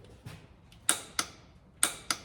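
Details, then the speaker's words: Caterpillar truck engine injector repair: torque wrench set to 70 ft-lb before torque-turn gives sharp crisp paired clicks, breaking over cleanly at set torque. "Do you hear that click? That tells me that it's"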